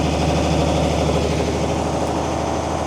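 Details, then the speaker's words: Mercedes-Benz 911 4WD diesel truck idling after sitting about 8–14 years: heavy, even diesel idle with deep rumble and faster chugging on top as the air compressor builds tank pressure; normal, nothing wrong. "Making a few big truck noises back there. Here's some air building up."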